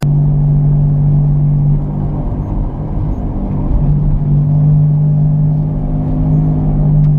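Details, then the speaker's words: Car wheel bearing while rolling, heard from the cabin: deep steady drone-like howl like sitting inside an airliner, constant while moving and worse with speed; worn wheel bearing. "most of the time it's bearings and the reason you know it's a wheel bearing especially is because inside the cabin just like you heard in the audio clip it will sound like you're inside of an airplane and the sound is pretty constant as long as the car is rolling it actually tends to get worse the faster you go"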